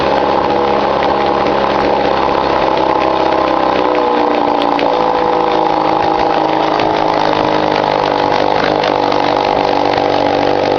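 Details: 1953 Mercury Mark 15 outboard, run in cold weather after fixing a flooding problem caused by float height: smooth, steady idle with an even buzzy note, no stumbling or loping; normal idle.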